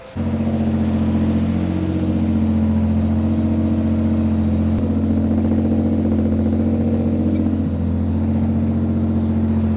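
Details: Barn-find Nissan Z32, about 600hp (440 kW), after full service, oil and filter change, ECU coil-pack dwell timing sorted, O2 sensors plugged in and blast pipes fitted: strong, even full-throttle pull to the limiter, clean hold, no miss or knock; healthy.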